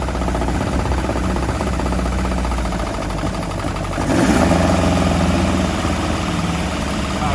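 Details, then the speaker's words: Mk1 Ford Fiesta with XR2 running gear, a garage find freshly started after years off the road; petrol engine idles unevenly with a lumpy beat and slight surge midway, running rough, with the carbs suspected to be poorly set up. "And there we have it. She's alive. Carbs aren't set up very well by the sound of it."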